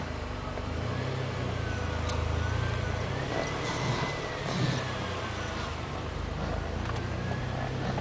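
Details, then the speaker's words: Car creeping at about 2 mph: faint wavering squeal-like rub from the passenger-side front wheel, worse at low speed, not worse when turning. "Okay, figure out this fucking noise, alright? It's from the passenger side front wheel."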